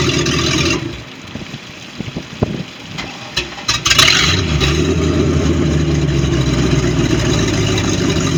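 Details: MerCruiser 5.7 V8 marine engine in a Baja boat: after a rough start it settles to a steady run with a faint quick tapping knock underneath; cause unknown.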